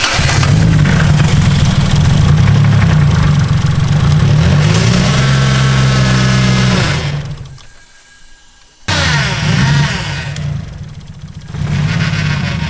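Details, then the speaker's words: Waste-spark engine at idle: lumpy, uneven idle stumbling about four times a second, nearly stalling before recovering; it is running on four cylinders, suspected failed coil pack, not confirmed. "It's running on 4 cylinders right now. Yeah, which makes sense. So it's probably a coil pack."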